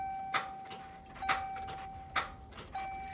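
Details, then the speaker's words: 2005 Chevrolet Silverado Z71 in cold weather, battery good and lights full: sharp single clicks about once a second with a chime and no cranking; starter clicks without turning over, owner suspects a frozen starter. "the starter. Man, chat. I don't know what to do. This thing is frozen, chat. It's not the battery. Lights are full on. I have a good battery."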